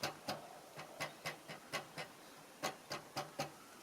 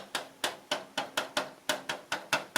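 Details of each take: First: 2022 Tesla Model 3 aero wheel cover after the fix: crisp single taps on the plastic cover end cleanly with no buzz or rattle. It was previously rattling over bumps; the cover is now secure. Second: 2022 Tesla Model 3 rear driver's-side aero wheel cover tapped by hand before fix: sharp hollow plastic knocks about four a second, loose cover that rattles over bumps like loose suspension.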